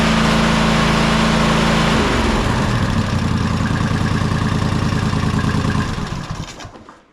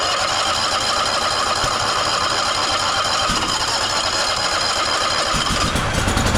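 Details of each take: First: Toro Timecutter SS5000 zero-turn (model 74731), Toro-branded Loncin single-cylinder engine, after carburettor replacement: runs steady and even several seconds, then winds down smoothly at shutdown; healthy. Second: Toro Timecutter SS5000 zero-turn (model 74731) with Toro-branded Loncin engine that won't start or stay running: ragged, uneven running with irregular pops and sputters after a carb-cleaner test, indicating a dirty carburetor and bad gas (contaminated fuel, clogged jets); fuel pump apparently already replaced, filter flowing.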